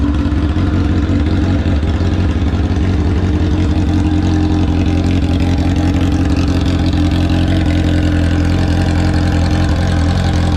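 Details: Kawasaki ZX-10R drag bike's first start after three years in storage, fuel pump rebuilt and tank cleaned: deep, loud, steady engine note with a lumpy low-end pulse, even throughout; runs strong, normal.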